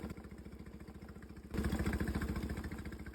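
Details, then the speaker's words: Suzuki outboard on an O'Day sailboat, first start after checking the oil, before running fresh gas with Seafoam: it started right up but idles with an uneven, loping putter. Rough idle, cause unknown. "Check the oil. Turn the key. And it started right up. Taking a good pee right now. Riding a little rough."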